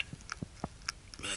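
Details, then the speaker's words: 1988 Ford F-150 4.9L EFI 2WD front steering, before tie rod replacement: a few dull low knocks about one every quarter second as the linkage is rocked by hand, play in a worn tie rod. "and there's the this is the bad tie rod in here um so it's if you can hear that"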